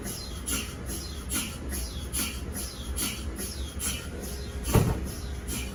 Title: What's the strange chirping sound in MRI scanners? #mri #space #science